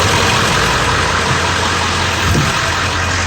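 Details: Ford F550 with 7.3 Powerstroke diesel, idling after a fuel filter replacement and fuel system priming: smooth, even idle with a steady clatter and no misses or surging; no leaks, runs healthy.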